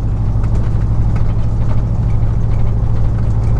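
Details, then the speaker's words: 2000 Chevy truck, 4.8 V8 with four ignition coils unplugged deliberately: deep, lumpy idle with uneven pulse and thin, choppy exhaust note instead of V8 burble; running on four cylinders. "It sounds like a little Nissan truck. This thing is pretty cool that you can do this with a V8."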